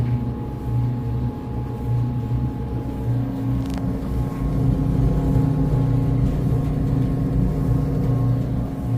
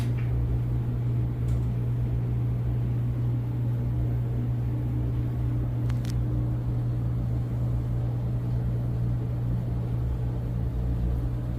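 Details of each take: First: Whirlpool dryer WED92HEFC2 after new belt and drum rollers, motor blown clean: brief loud buzz at start, then constant buzzy hum, 70–72 dB versus normal 60–65; worn drive motor near failure, to be replaced. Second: Whirlpool WED92HEFC2 dryer after new belt and drum rollers, motor previously loud and thought near end of life; smooth, steady low hum with no rattle, squeal or buzz; very quiet, normal running.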